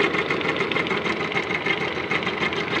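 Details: 2013 Lada Granta at idle: light quick tapping about three per second, unaffected by revs, no error codes; cause found near the belt, likely alternator belt, possibly after air-conditioner use.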